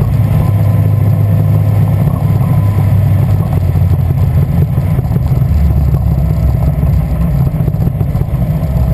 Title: Westfield Zetec engine misfire